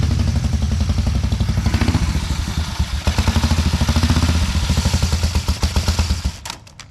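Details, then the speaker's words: 1950 BSA B33 single-cylinder motorcycle after rebuild: slow thumping swells without the bike pulling when trying to go forward, then fades; clutch slipping on the plates, not enough grab, friction plates found shot. "yeah I think the clutch needs replaced we're not getting enough grab"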